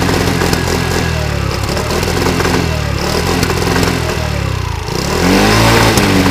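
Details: 50cc two-stroke moped revving up and down with an uneven, popping exhaust note as revs change; backfire problem.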